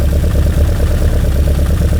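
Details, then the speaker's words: One-off 1966 Lotus Elan carburettors, checked with a hose at the intakes. Low, lumpy idle with an uneven pulse; some carbs draw weakly and intermittently because the linkage is out of adjustment. Carburettor imbalance. "Right, that's weak. I can tell that's weak because the pulse is intermittent. That one's okay. That one is hardly anything coming through that. The same with that one. So the linkage is out of adjustment."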